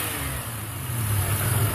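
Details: The engine's deep note climbs as revs rise, with a raspy puffing edge: a plugged catalytic converter forces exhaust gas out through a small crack in the exhaust manifold, an exhaust manifold leak.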